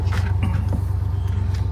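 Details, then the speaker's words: Engine just after start-up, which revs itself up high then settles: steady even low rumble, no misses or ticks; now a smooth idle, owner reasons a vacuum problem would not self-correct. "It like revs itself up high, and then now it's nice and smooth."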